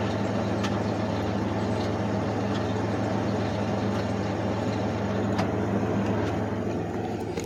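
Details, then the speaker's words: Idling engine with clutch pedal held in makes a rough, gritty whir and faint scattered clicks; failing clutch throwout bearing, an aftermarket part installed only 5,000 miles (five months) earlier. "a throughout bearing is the throw up bearings when they go out you'll hear noise when your clutch is pushed in"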